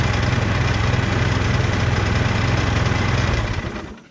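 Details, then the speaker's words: Trail Hog commercial mower after tune-up with new carburetor, spark plug, air filter and fresh non-ethanol fuel: small steady, even thumps with no misses, running smoothly like a charm, then dies away cleanly. "Runs like a charm. That's awesome."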